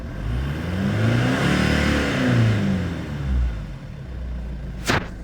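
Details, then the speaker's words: Stock 2006 Jeep Liberty CRD Sport 2.8 diesel, heard from inside the cab: revs climb hard and fall back smoothly, deep even rumble, no knocks or rattles, black smoke behind; healthy engine. "And a lot of black smoke rolls behind me. Very good sounding engine."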